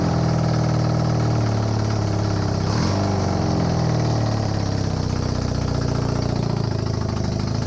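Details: Honda CB250N Superdream twin project bike with new spark plugs, on partial choke, powered from another bike's battery. An even low burble holds idle, with one brief blip mid-clip, otherwise smooth and regular. Normal idle; large front oil leak.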